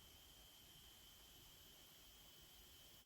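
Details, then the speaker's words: Newly unpacked supermarket phone charger rated 5 V 2 A with two USB outputs, under roughly 1–1.4 A load: a faint steady high-pitched whine with soft hiss. The buzzing stopped at 2 A, where the voltage sagged to 4.49 V. "До речі якщо ви може чуєте Зараз я вам ближче по поставлю він щось гудить шумить"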